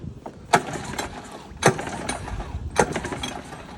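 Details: Used Honda 9.9 outboard, primed, choke on, neutral, lanyard in, no spark: three rope pulls, each quick spin-over with no firing; cranks but won't start until MP-05 coil is disconnected and reconnected, cause unknown.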